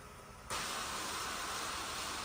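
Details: Electric fuel pump running on a homemade injector flow bench, fuel rail pressure gauge fitted, owner suspects Chevy pickup injectors leak down overnight causing cold-start trouble: steady even hiss and whir without surging or rattling, building pressure; normal pump operation.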